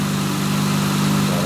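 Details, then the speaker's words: 2006 Honda Accord V6 six-speed manual, higher mileage, idling, heard under the hood then at the exhaust: smooth steady hum, no valvetrain ticking, quiet tame exhaust; healthy normal idle. "uh sounds really good actually. Go back to the exhaust. very quiet and tame, but sounds good."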